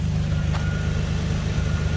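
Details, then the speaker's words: 2013 Nissan Frontier 4.0L, after correcting low transmission fluid that caused a high-pitched whine: smooth, even low exhaust burble at idle with no whine on top; noise gone, running normally. "there's no more noise just exhaust thrattling you don't hear at all"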